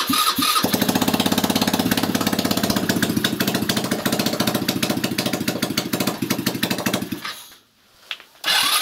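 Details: 161QMK single-cylinder engine, first start after long idle and reassembly with timing marks set: catches straight away, steady even beat for about seven seconds, then shuts off. Sounds healthy.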